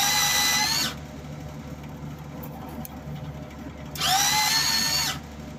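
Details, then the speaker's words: Wire feed motor of an old MIG welder being modified to work better; two even bursts of high, steady motor whine with clean start and stop: normal wire feed running. "moment of truth as a friend of mine used to say right you'll hear a whirring on"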